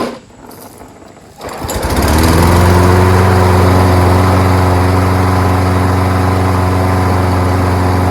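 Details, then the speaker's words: Toro Recycler mower with Kohler XT675 (6.75) engine that started, ran about 5 seconds and stalled; after a carburetor clean it catches after a short pull and settles into a steady even drone without hunting or stalling, running normally. "All it needed was a carburetor clean. Even though I didn't feel like the carburetor was all that dirty, there are things on the inner part where I blew out here and there that probably caused it not to start."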